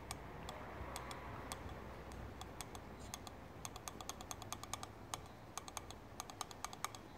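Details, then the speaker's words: BMW S54 VANOS valve body on the bench, bottom solenoid worked for five minutes soaked in brake cleaner: sharp, uneven clicks growing crisper and louder as gummed, sludged valve frees up; sticking VANOS solenoid valve. "so I read these things seize up gunk up alright boss alright so I've been working this bottom one for about five minutes and as you can hear"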